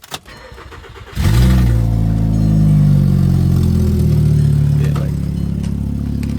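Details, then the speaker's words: Audi A4 cranks and settles into a loud, rough, uneven idle with a stumbling misfire; owner says the noise seems to come from the engine area, suspects the exhaust manifold, unconfirmed. "like I said when the car starts it sounds like it's up there somewhere it doesn't even sound like it's coming from the back sound like it's honestly coming from the engine"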